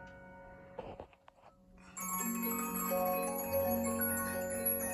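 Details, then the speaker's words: Bremond Mandolin Harpe cylinder music box, previously improperly adjusted, now adjusted and oiled: a clear plucked tune at even tempo with no dragging, skipping or buzzing; the cylinder movement runs properly. "My dad always said mandolin boxes sound the best. And you know what? Hush diggity, he's right."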